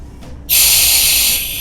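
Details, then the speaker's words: Homebrew keg CO2 regulator, bottle opened and delivery dial turned in: quiet, then sudden steady high hiss of gas flowing to keg, easing slightly; normal CO2 flow through regulator. "We'll be delivering the CO2 to the keg, and you'll be able to hear it just start."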